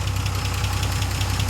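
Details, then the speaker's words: Austin Healey 100/6 engine first started after rebuild with planed head and new standard parts: steady smooth low idle with quick even ticking, about eight a second, from tappets not yet finally set; no side gasket leak. "little bit of tappet noise there. I haven't finally set the tappets. We're getting a nice sound."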